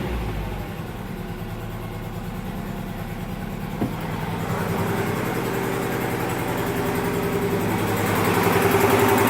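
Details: 1998 Acura Integra GS-R idling with a regular tapping about three to four per second, rising slightly with revs; source unclear.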